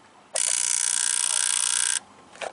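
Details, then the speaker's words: Jeep JK Wrangler 3.8L, balance test for a misfire, engine off, camera held by injector one driven by a pulse tester: steady high-pitched buzzing chatter for about 1.5 seconds as the injector pulses rapidly and opens as it should. "you should be able to hear the injector pulse so I'm going to hold the camera down here by injector one"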